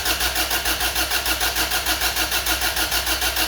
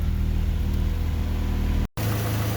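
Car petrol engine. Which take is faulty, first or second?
first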